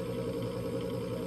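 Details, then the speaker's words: Coleman Presidential mobile home furnace DG807BDTA: the inducer motor hums steadily but the pressure switch never clicks closed, and the board shows a three-flash code. The pressure switch is stuck open; replacing it fixed the fault. "so the inducer motor is running [Music] i didn't hear the pressure switch close see what this light's saying up here so three flashes"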